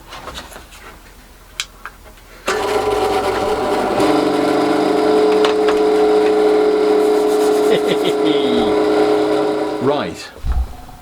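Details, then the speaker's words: Industrial cafe machine motor with fan after cleaning out filth and clogging that stopped it running: motor kicks in and settles to an even hum with steady mid whine, no knocks or grinding; runs clean. "very happy with that so it was just filth and clagging amongst that motor that was stopping it running"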